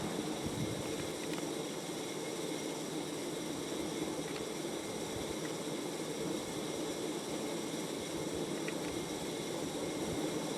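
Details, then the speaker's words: Casablanca Panama ceiling fan with an Intellitouch board, running on speed six: a steady airy whir with a faint high whine and light ticks. The noise is quieter since a WD-40 treatment but persists; the owner suspects the bearings or motor friction. "yes that's the sound I was referring to granted it isn't as loud as it was when I first put it up but the ad is still there"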